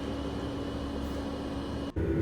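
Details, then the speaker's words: Autoterm diesel heater newly installed in a VW Crafter camper van, running on full power and full heat: steady even roar of fan and burner, no surging or knocking; produces plenty of heat, running normally. "Okay, so I've got it running now on full power and full heat, and it does produce quite a lot of heat."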